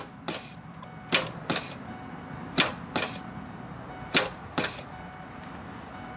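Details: 1998 Ford F150 abandoned 17–20 years, first crank attempt: seven or eight sharp single clicks over six seconds, starter clicks but engine never turns over; possibly seized, fan to be removed to check.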